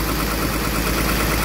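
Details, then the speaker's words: Komatsu PC200-7 excavator diesel engine after starter motor repair (starter had only clicked; solenoid plunger checked): steady, smooth deep idle with even beat, no knocks or misses; starting now works, normal idle. "ini unit excelnya sudah running ya artinya dinamo starternya sudah beres"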